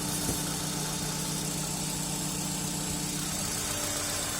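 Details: Hyundai Elantra HD engine at cold idle without catalytic converter: light, quick ticking of several taps per second over the hum, present cold and gone when warm; hydraulic lifter tick.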